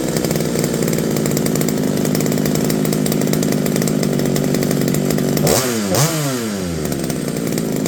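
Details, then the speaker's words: McCulloch BP1 balance-piston chainsaw after carb kit, new fuel line and new gaskets, running off tank fuel (primer not working): strong even two-stroke buzz at high speed, clean rev drop and pickup; normal running. "sounds pretty good sounds like a modern day chainsaw"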